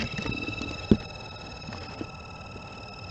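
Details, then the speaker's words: Mercedes cabin blower fan on its lowest setting: a steady high-pitched squeal over the hum from the dry fan motor bearing. A PTFE spray onto the bearing silenced it, confirming the bearing. "let's see silence so it's most definitely the bearing"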